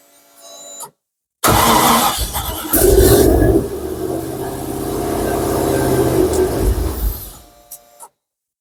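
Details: Mk1 Ford Capri, turbocharged Rover V8, first start after ECU wiring and fuel system work: engine catches, hunts and stumbles through uneven revs for several seconds, then dies, with a cloud of smoke and the turbo audibly spinning. Starts but won't keep running.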